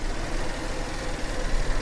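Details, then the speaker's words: Rolls-Royce at an auction yard: a deep idle drone with an uneven, lumpy stumble that is a little rough and improves as it runs, pointing to a misfiring cylinder. Misfire causing rough idle. "Yeah, the idle is definitely a little little rough,"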